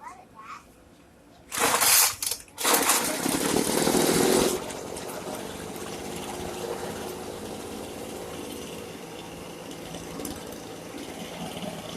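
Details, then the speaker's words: Brand-new Poulan Pro leaf blower two-stroke, warmed up, at wide-open throttle. It roars but stumbles and bogs because the high-speed screw is too far open (too rich); closing it while holding full throttle fixed it. "You hear how when I went full throttle it started bogging out. The issue was the high auto screw was too far open, so I had to close it,"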